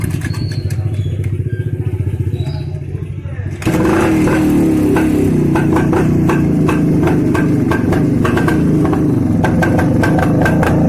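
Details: 1995 Rajdoot motorcycle, all-original genuine parts, factory-assembled engine never opened or repaired: single-cylinder two-stroke starts after a few seconds of cranking and settles into a steady, even popping run with no knocks or rattles, normal running.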